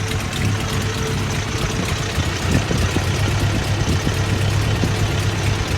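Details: Toyota 22R engine: heavy, uneven idle with a lumpy, irregular beat. Rough idle; distributor timing, spark plugs and ignition are being checked.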